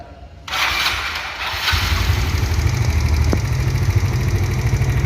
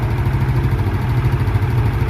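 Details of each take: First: Automatic scooter engine starting and idling with a light, steady klitik ticking over the low hum; loose valve clearance or a damaged tappet suspected. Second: Automatic scooter engine idling with a steady, low, even thrum after valve clearance adjustment; the earlier klitik ticking was from excessive valve clearance; valve cover O-ring hardened and leaking oil.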